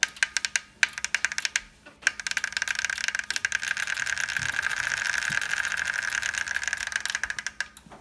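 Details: Tacx Vortex Smart trainer: sharp, regular clicks about four per second over the roller whir when pressure or load is applied.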